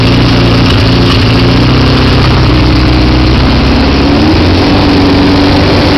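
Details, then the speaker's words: 1973 Honda CB500 twin, off choke, mufflers newly fitted, idling then revs creeping up as fuel runs out; fueling issue suspected — rising idle. "see how the idle's going up? That's the sound of a bike running out of gas."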